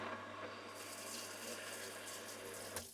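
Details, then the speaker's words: Off-grid well pump, reprimed and pipe taken apart at the pump house: steady rush of water pouring out over a faint low pump drone, then cutting off; pump moves water from well normally, leak suspected between pump house and house. "you will see it pours water out, which is great, because that means the water's getting from the well up to the pump house."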